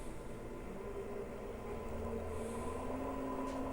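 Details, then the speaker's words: Little Machine Shop 7350 7x16 mini lathe with a brushless motor, cover off, at a speed where torque matches high speed. A quiet, steady hum with even tones and no knocks or rattles: the spindle runs smoothly and healthy. "The torque here at this speed is the same as the speed high speed, which is really cool, and it's super quiet."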